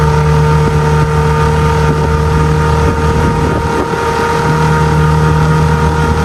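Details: 6 hp two-stroke outboard on a 2002 Landau 1236 12-ft jon boat converted to a bass boat, on plane at about 13-14: even, unwavering drone under wind rush, no stumbles or pitch hunting; running steadily at speed.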